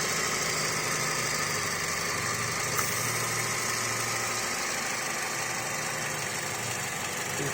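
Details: Chevrolet Sonic petrol engine idling unevenly, revving up and down, under a strong airy hiss from a leaking PCV valve; engine stalls by itself.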